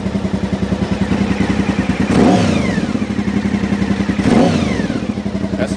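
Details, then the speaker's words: 1992 Honda VFR 750 V4, 60,000 miles, after fixing vacuum leak at carburetor boots and swapping pilot screws, carbs not yet synced: burbling idle with two crisp clean revs, much improved throttle response. "serious serious improvement there it's due to a vacuum leak"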